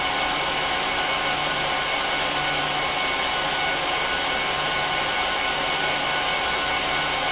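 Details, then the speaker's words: HP ProLiant DL380p Gen8 server, 24×4 GB DIMMs, eight 300 GB 10k drives in RAID 5, both power supplies, no cards: during POST and boot, a loud steady airy roar with no pulsing or bearing whine. The fans run at full speed, which is normal and healthy. "I'm going to let it run through a full post and boot up so you can hear how loud it is"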